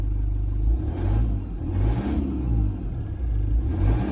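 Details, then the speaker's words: Diesel engine with about 238,000 km idling, only ~20,000 km after costly repairs: deep rumble swelling and dipping roughly every second, feedback value showing 3.7 mm; rough idle, cause not pinned down. "There's just something about it. It just doesn't sound right, okay?"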